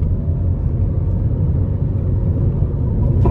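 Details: Hyundai i30 FD 1.6 automatic, 2011, road test: steady low drone under gentle acceleration, gear change passes with no thump or flare; the automatic upshifts normally.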